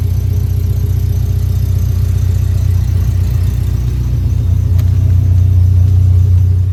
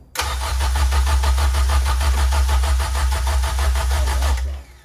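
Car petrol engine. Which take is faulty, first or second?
second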